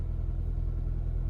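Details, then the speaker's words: Copart auction car (Infiniti or Nissan) on a cold morning; it starts right up, shows a little hiccup, then idles with a steady low rumble and an even beat with no knocks or misses; sounds pretty healthy, a normal idle. "a little hiccup but it's kind of so far is showing everything is okay we'll keep an eye on this one too y'all it sounds pretty healthy for the most part"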